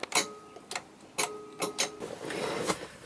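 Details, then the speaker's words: While tracing the hazard ('park anywhere') light wiring, a short circuit makes the small black hazard relay box chatter with irregular sharp clicks, a few a second with a faint buzz between. "Ooh, what was that? I shorted something out."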